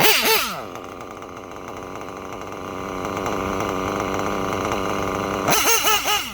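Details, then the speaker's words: Reds nitro engine (R5R horizontal carb test) after richening the lean bottom-end needle; sharp blips that rise and return cleanly to a steady buzzing idle with no sag or hang, tuned right. "We just gotta hear the right sound from the engine. The engine tells you every time what to turn."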